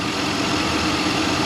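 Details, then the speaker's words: 2003 Chevy Suburban (GMT800) at idle after replacing shorted AC compressor clutch: smooth steady idle, faint even tone, no rattle or grinding; original compressor quiet and healthy. "I don't hear it. It's a good compressor. Maybe slightly, but it definitely is not noisy."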